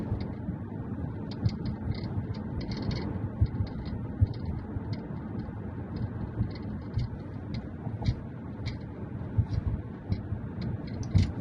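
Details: 2019 Mazda 3 GT sedan AWD with Bose speakers, heard inside while driving: irregular light clicks and ticks over steady road rumble, a rear rattle on rough roads and with increased music bass; cause unknown.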